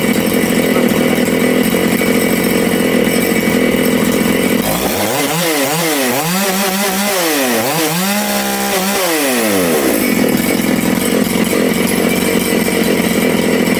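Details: Big-bore Makita/Dolmar 6400/7900 85cc 54mm chainsaw, carb limiters removed, needles started at one turn out: it screams flat out, the revs swing in quick bursts, then it settles high while the lean low jet is retuned richer after nearly dying.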